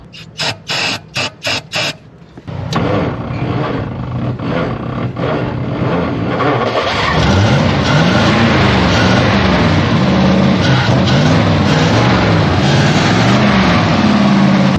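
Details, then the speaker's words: Old Studebaker V8, probably the 1952, on a six-volt system, given a shot of ether, started without needing a 12-volt boost. Quick cranking bursts, then it catches and settles into a steady, even run with no knocks: healthy start and idle. "We didn't even have to engage the 12vt system."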